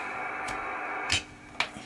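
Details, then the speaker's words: Homebrew MC1350P-based SSB rig as a superheterodyne receiver, volume cranked up, antenna disconnected: even steady hiss with a couple of clicks, lower noise than with antenna; remaining noise produced in the circuitry, the IF amplifier. "we do get a reduction in noise volume which is good there are still a bit of noise via so that's being produced from within the circuitry"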